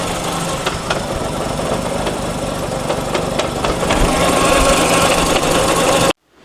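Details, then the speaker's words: FC with manual transmission, noise under light throttle on the lift after fluid check: metallic clang-clang rattle repeating through driveline over engine; gearbox bearing noise, transmission to be removed. "can you hear it here that's the noise so that's the noise that he's talking about that clang-clang are you hear it you hear it"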